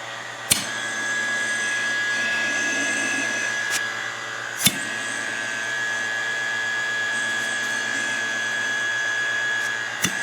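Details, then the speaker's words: Land Rover Defender 110 300Tdi cyclone separator just taken off the car, bench-tested with a vacuum pump: steady hiss with a few sharp clicks as the diaphragm moves; diaphragm working normally. "can either i can hear the diaphragm working there then a few can pick it up that's working isn't that a good test"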